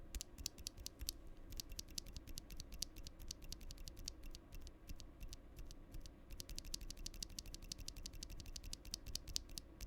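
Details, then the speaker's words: Stock switch on a Hex.4B Dreamcore Edition keyboard, recorded with the gain raised: crisp key clacks, each with a faint hollow ring after the press, and the switch feels more scratchy; the owner suspects the leaf, which is not confirmed. "I do not like that sound. This is a stock switch. It's definitely more scratchy, but that pinging, hollow pinging sound is still there. I think it's the leaf."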